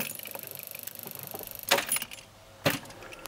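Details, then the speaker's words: Renault Clio II 1.9D diesel (F8Q engine): two sharp solenoid clicks with no cranking; battery confirmed good as headlights stay lit, so the starter motor is faulty and was replaced. "on entend le "tic" du solide du démarreur et ça ne démarre pas."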